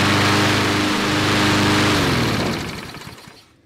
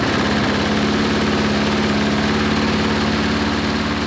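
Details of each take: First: Briggs & Stratton 5-6 hp flathead mower engine, long-stored, after governor rpm adjustment up from 2160 rpm: steady, even governed speed with a clean tone before shutting down; leftover oil in the muffler from first startup; running normally. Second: Briggs & Stratton 5-6 hp flathead lawnmower engine, tachometer reading 2160 rpm before the governor lever is bent forward: steady but low, lazy drone; governed engine speed set too low.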